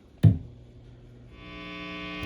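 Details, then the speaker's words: Randall RG100ES vintage high-gain guitar amp after replacing power cord, op amps, transistors and output jack to cut hum, volume all the way down: thump at switch-on then mild steady mains hum with faint buzz; reduced hum. "So anyways, I decided to give it a shot and fix that sound, that large humming sound, and it worked. It's now it's just it's okay. It's not super obnoxious as before."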